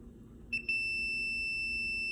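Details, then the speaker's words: Samsung front-load electric dryer with no heat: continuity tester on the new thermal fuse gives a steady high-pitched beep, showing continuity; a bad fuse would stay silent; good thermal fuse. "is a good one a good one sounds like this a bad one when you touch it you don't have it doesn't make any noise"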